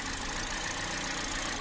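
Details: 2017 Toyota Vios automatic that suddenly shook and nearly stalled, with stored P-codes. The petrol engine idles with an uneven, lumpy beat and a faint stumble, a rough idle.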